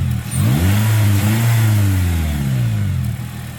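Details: 2009 Pontiac Vibe 1.8L after new alternator and new belt: revs climb smoothly and settle with an even deep drone, no belt squeal or screech; former screaming alternator noise gone, normal.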